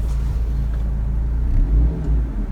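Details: 2005 Ford Focus with Duratec four-cylinder at idle after replacing worn, cracked engine mounts, including the dog bone, and the transmission mount. A deep, steady, even rumble with no thumps or shudder surges, and no vibration felt. Normal idle.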